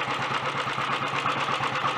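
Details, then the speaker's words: Early Redditch Royal Enfield 350 Bullet with ignition retarded slightly too far. Steady idle with an even gear whirr and light chatter from the gear train driving the dynamo and magneto. Engine not clattery or knocky, no smoke; normal. "That's sounding alright. Most of that noise is from the gear train actually up to the dynamo and the magneto."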